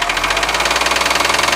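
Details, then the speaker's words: New Cummins repower engine: sharp regular knocks about fifteen per second over steady diesel running, persisting after debris jammed behind the crankshaft harmonic balancer pulley was removed; cause not yet found. "well we got that pulled out and we still have a anak so here goes gradual doesn't sound normal to me"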